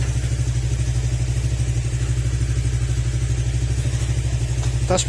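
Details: Honda Click 125 scooter after engine overhaul, idling: steady low thrum at about three beats a second, even and free of knocking or clatter; bottom end sounds healthy after the rebuild.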